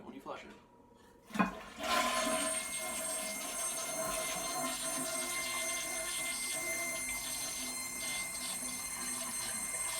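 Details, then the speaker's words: Original early-1990s upstairs toilet, refilling after flush: steady high hiss with a whistling edge from the old fill valve, owner says air gets through it as water pumps through; noisy fill valve, to be replaced with a Korky fill valve. "so anyway it's the fill valve it's old it's the old toilet my house was built in the early 90s this is the original toilet upstairs and the fill valve you can just sell see air is getting through somewhere on it when the water is popping through it pumping through it so that's what's making that noise"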